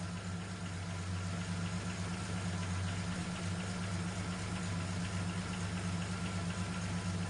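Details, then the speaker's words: Even, steady low idle with a smooth unbroken beat and no knocks or misses from a Holden LH SL/R Torana engine after its timing was set that morning during refurbishment; idling cleanly and healthy. "Yeah, I set the timing this morning, and all seems to be going well. Let's fire it up for you. Runs like a dream."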